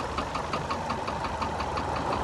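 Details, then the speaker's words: Hyundai i40 engine running: steady light knocking about six per second over the idle, a sharp metallic tap coming from low in the engine. "Малик смотри какой-то стук идёт слышишь и он идёт снизу слышишь"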